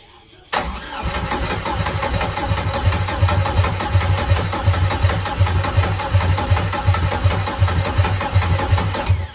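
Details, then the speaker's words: Turbo Cavalier first start attempt after fuel priming: steady starter cranking, about eighty pulses a minute, tone sagging as the battery dies; engine nearly caught but never fired, crank no start due to weak battery, to be recharged 10–20 minutes. "that last goal was it was just about to start but the battery just dead"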